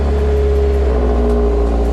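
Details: Subaru STI built to about 500 hp, with a self-built wiring harness and TGV delete housings, running again after a dead-battery no-start: a steady, even engine drone with a low hum and no knocks or misses, normal running.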